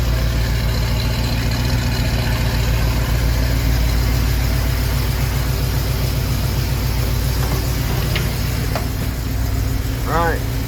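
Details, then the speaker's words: 1974 AMC Javelin idling after oil leak cleanup, choke opening: steady, even idle with no stumble, light clicks in background; owner hears slight tick he suspects is an exhaust leak, otherwise sounds healthy. "I gotta turn this thing off do some more investigating sounds good though sounds pretty good"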